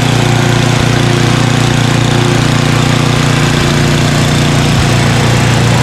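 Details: Craftsman 29" snowblower, 9HP Tecumseh single-cylinder, after carburetor cleaning with a blocked pilot jet cleared: low, even idle around 220 beats a minute at the bottom of idle, no hunting or surging.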